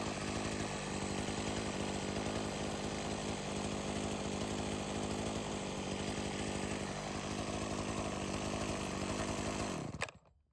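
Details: Sachs-Dolmar 100 two-stroke chainsaw, carb rebuilt and tuned after it would not idle down (owner suspected an air leak), runs with a clean, steady buzz then shuts off cleanly; running healthy.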